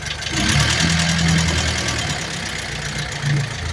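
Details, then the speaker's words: 1949 Willys pickup F-head engine (exhaust valves in block, intakes in head), lifters due for adjustment: light quick ticking over the engine, busier when revved; valvetrain ticking noise. "So I'm going to have to pull both of these covers and adjust these lifters, but you can hear it right now. If I rev it up, you'll hear it a little better."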